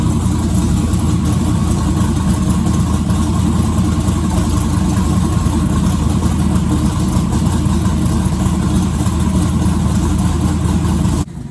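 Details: Twin-turbo 1969 Camaro pro mod V8, not started in a couple of months since the driveshaft incident: deep loud idle hunting and stumbling then cutting off; owner suspects running out of gas/fuel pump, unconfirmed.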